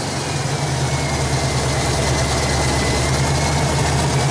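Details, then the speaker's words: 1986 Chevy K-10 truck during restoration: low heavy idle with faintly uneven loping pulse, no knocks; RPM drops under electrical draw with lights on, idle sometimes unstable, cause still unknown. "oh you can hear it here at lower the RPM a little bit from the draw yeah okay I already know the bugs the idol is one of them to get to that sometimes it idles some other times it"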